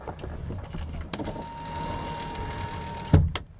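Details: 1932 Ford Tudor all-steel resto rod, 3,898 miles since built: steady mid-pitched power window motor whine for about two seconds, ending with a soft clunk as the glass bottoms out; normal power window operation.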